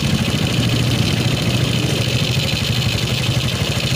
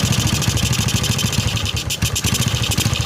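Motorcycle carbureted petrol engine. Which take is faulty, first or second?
second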